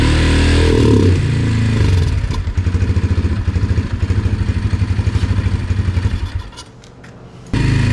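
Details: Yamaha TT-R 125 single on choke with stale, varnish-smelling fuel: lumpy idle sagging almost to a stall then recovering, won't rev; won't idle when warm until cooled; carburetor problems suspected, frame air filter missing.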